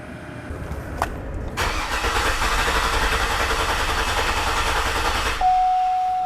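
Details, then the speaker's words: 2007–2014 GMC Yukon 6.2L, fuel supply cut before injector work: engine died, then starter cranks steadily about 3.5 turns a second for four seconds without firing; fuel supply cut to empty the lines. "all right and i will just pull this out and it pretty much instantly died"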